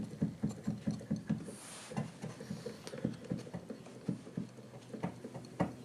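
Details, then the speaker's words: Used Kawai VPC1 digital piano keyboard, keys pressed one by one: quick hollow plastic taps from the E key's action, alongside crunchy-feeling A and C keys. This is a mechanical key-action fault in a keyboard sold as "excellent condition". "This one's kind of crunchy. What it says C, crunchy, and then it's fine here. E's, you can hear E tapping."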